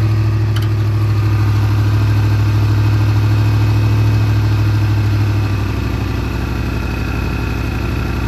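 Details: Big-block Monte Carlo street car after rear end install: steady strong low drone dropping slightly in speed midway, settling into an even idle, no misfire; normal running.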